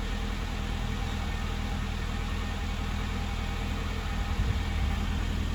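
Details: Classic Mini engine idling after revival from nearly two years of storage. Steady, even low idle with a constant rumble and no misses or knocks: clean normal idle.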